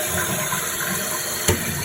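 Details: Toilet refitted with a Fluidmaster DuoFlush dual-flush conversion, flushed with the full-flush setting at max. A strong, steady rush of water with good volume throughout: flush working properly.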